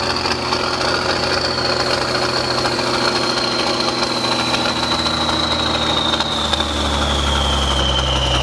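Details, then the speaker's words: Military truck diesel, first start after sitting 10+ years, started with ether: steady clatter at fast idle, then pitch slowly sinks as revs fall; engine runs on its own and shuts down normally. "but it runs it runs and uh and stops I guess that's a victory for us right"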